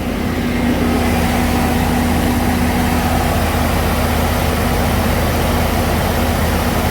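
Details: 2006 Chevy 3500 dump truck V8 held by scan tool at fast idle around 1900 rpm, smooth even drone with no knocks, ticks or miss; oil pressure about 50 psi after sending unit replacement, healthy.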